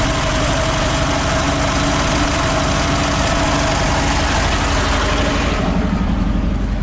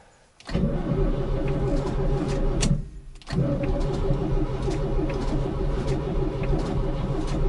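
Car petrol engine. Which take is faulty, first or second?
second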